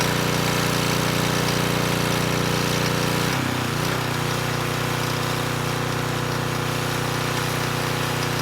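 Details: Coleman Powermate Pulse 1850 generator, 1996 single-cylinder engine, after repair and governor reset to about 62 Hz: steady drone dips briefly as a space heater slightly over its 1500 W rating hits, then settles evenly holding 114 V; normal running under load.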